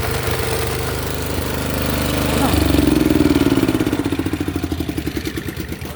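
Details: Honda snowblower with no drive: engine runs steadily while rhythmic clicking, about four a second, accompanies the drive hitching and skipping.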